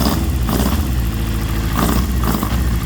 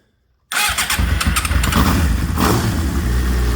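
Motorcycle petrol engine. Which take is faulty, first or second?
first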